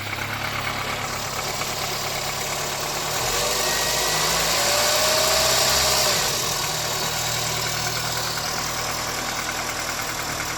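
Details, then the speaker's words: 1979 Austin Allegro after electrical and ignition work, gap measured, just started: steady petrol idle with an even beat about four times a second, swelling briefly mid-way then settling; normal idle. "bloody hell have i actually fixed something"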